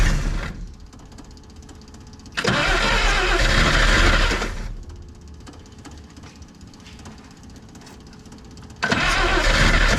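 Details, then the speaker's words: 1962 AMC Rambler wagon, primed with a spritz into the carburetor: two bursts of steady cranking that never catch, quiet between tries. No start from weak spark at worn points. "see dang it yeah we're not getting good spark again gosh darn it"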